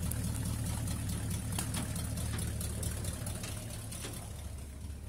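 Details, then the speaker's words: 1965 Ford F100 tired 390 V8 with 289 carburetor and small-block intake, creeping: lumpy idle with sharp puffing ticks from extremely bad exhaust leaks. "Tired 390, extremely bad exhaust leaks, a 289 carburetor, and a small block intake manifold. Starts every time though."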